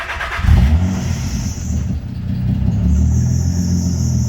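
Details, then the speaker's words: Nissan 300ZX Z32, naturally aspirated converted to twin turbo and running on a MicroSquirt with an untuned base map, fires and settles into a rough idle with a thin, high-pitched belt squeal at startup. "do have a belt squeal i gotta fix not a big deal though"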